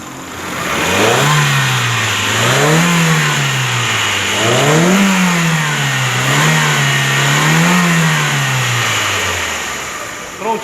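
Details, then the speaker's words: 2011 Hyundai Tucson 2.0 manual, after engine repair/reinstall with fluids topped up: smooth rev blips, about five in ten seconds, no knocking or valve tapping; healthy engine. "Quero mostrar o ronco do motor."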